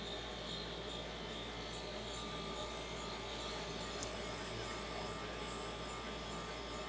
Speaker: and now you can hear the hissing sound